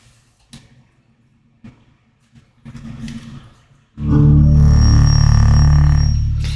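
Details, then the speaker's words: HomePod smart speaker powering up and playing its setup tone: the loud, bass-heavy chime comes out buzzy and rattling as air escapes past a bent subwoofer; the plan is to remove the subwoofer and try to straighten it. "Yeah, you hear that rattling? That is the sound of air escaping."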